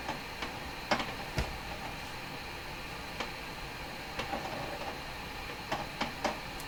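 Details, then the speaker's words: Hammarlund SP-600 receiver tuned across the upper and lower AM band, picking up nothing: steady hiss with irregular scratchy crackles and pops, no station audio. Fault thought to be around tubes 6, 7 and 8, cause not yet found. "upper end of the AM radio band. Nothing at all. The lower part of the AM band. What have I done to my radio? Don't know what that scratchy sound is either."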